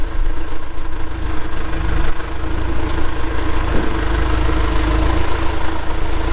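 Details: 1997 John Deere 310E 4WD backhoe, 2,280 hours, diesel, engine cover shut: deep, steady diesel idle with even low rumble, no knocks or misses; normal healthy idle.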